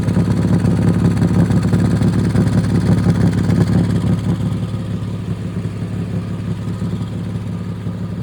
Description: Carbon monoxide is odorless and it’s really important to fix any exhaust leak you have as soon as possible